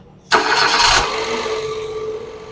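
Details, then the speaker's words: Nissan Dayz after head repair with new intake valves, done for a hard-starting problem and a P0303 cylinder 3 misfire code; it catches on the first crank, flares briefly, then settles into a smooth even idle. Normal start. "ये starting का जो मसला था first time वाला वो भी बिल्कुल बंद करके दोबारा मारा तो यह मस इंशाल्लाह इसका फाल्ट अब नहीं रहेगा फायर का"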